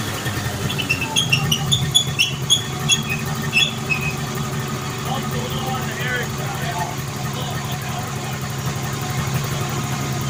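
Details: 1980 Arctic Cat Jag 3000 fan-cooled two-stroke snowmobile that sat for years, after fuel-system cleaning, on a track stand: a steady, even idle buzz with chirps over the top; the engine runs smoothly.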